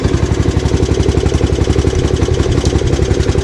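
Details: Gravely 8163B tractor single-cylinder engine just started with choke after replacing the key switch to cure a no-start electrical fault: even popping about four beats a second, no stumbles or knocks; running fine.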